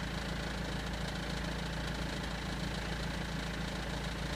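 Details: BMW 320d E90/E91 M47 diesel at idle: loose uneven rattle over the low clatter, clearest from about 20 seconds in; owner doubts timing chain and suspects crankshaft pulley, unconfirmed.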